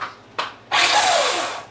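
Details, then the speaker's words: Honda CX500 engine freed from being stuck, bumped on jump box starter, possibly in gear: short bump then smooth high whirr, engine spinning freely without binding or grinding; oil pump working. "Engine turns over, fan, everything works. That's my starter making some noise, but that's good."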